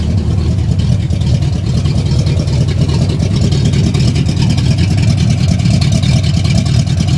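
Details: 1971 Oldsmobile Cutlass SX V8 after rebuild, bored with .030 oversize pistons, forged steel crankshaft, 268 XE Comp cam, chrome valve covers, still awaiting new Edelbrock carburetor: deep steady burble, even lumpy cam beat, no knocks or ticks; normal running.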